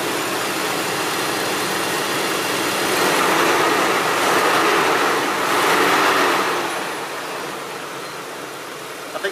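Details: Land Rover Discovery 2 idling after fan clutch replacement (coolant had reached 199 in traffic versus 194). Loud airy rush swelling and easing over the idle, fan now audible; exhaust leak present. Normal engine fan noise.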